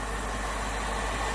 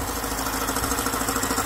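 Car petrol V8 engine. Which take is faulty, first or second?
second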